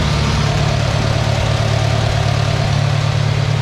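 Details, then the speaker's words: IH 140 tractor after transmission repairs, first start in seven months, with the PTO turning. A steady even engine beat of about three pulses a second with no knocks or gearbox whine; the transmission is quieter than before and the tractor runs normally. "so everything is running sounds good i don't hear any weird noises a lot quieter in the transmission than it was earlier"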